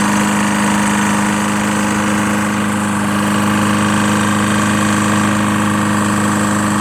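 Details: Lawn-Boy Insight 10682 mower, Tecumseh 6.5 engine, after cleaning water-contaminated fuel from the tank and running very low on oil: steady, even single-cylinder putter at constant pitch, no misses or knocks, running smoothly.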